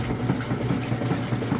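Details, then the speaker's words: GE top-load washer with safety switch bypassed, clothes fully submerged: rhythmic sloshing chug from the agitator, several strokes a second, steady and even, vortexing clothes down the middle and back up; normal washer agitation. "Doing an excellent job chugging. As it goes, it'll vortex those clothes down the middle, along the bottom fins, and then back up, and it just kind of keeps working its way around."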